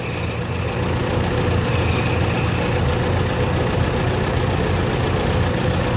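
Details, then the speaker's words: Ford NAA Jubilee tractor petrol engine at idle after retiming the distributor and resetting the points, earlier misfiring on two cylinders: steady, even low rumble with no skipping beats, now running smoothly. "it's running a lot smoother so a lot easier to diagnose misfire out"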